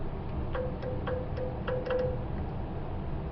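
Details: 1975 Datsun 280Z EGR vacuum solenoid, tested through the bullet connectors by grounding the lead: crisp, irregular clicks, about eight in three seconds; the solenoid switches and works, and a poor bullet connector is suspected as the earlier fault.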